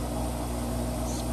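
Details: 11-year-old Kenmore Elite washer after an E58 error repair, finishing its cycle. Smooth, steady high-speed whirr with an even hum and no knocking or scraping; normal spin cycle.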